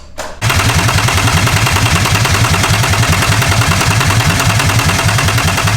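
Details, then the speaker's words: Engine-swapped car, start attempt after the swap. A fast, steady starter churn at about 3.5 beats per second that never fires; it cranks but won't start. The owner suspects no fuel in the tank; not confirmed. "I don't know hopefully he's just got no fuel I'm gonna buy fiver of fuel if I need to"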